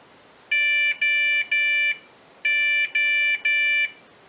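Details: Acer Revo RL80-UR23 at power-on: three beeps, pause, three beeps; RAM, hard drive, CMOS battery and fan ruled out, motherboard fault, fixed by moving the hard drive to an identical refurbished unit.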